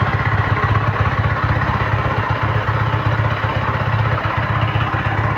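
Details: 2026 Yamaha MT-15 with low mileage runs with a coarse clatter about four times a second over the exhaust beat; loud engine noise, cause not confirmed.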